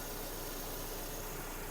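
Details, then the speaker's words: 2009 Skoda Octavia A5 1.6 MPI petrol, 236,000 km, just started: quiet, soft, even idle with no knocking or roughness, no smoke and no misfire; normal idle. "автомобіль завівся співтику Мотор працює тихо-рівно не димить не троїть"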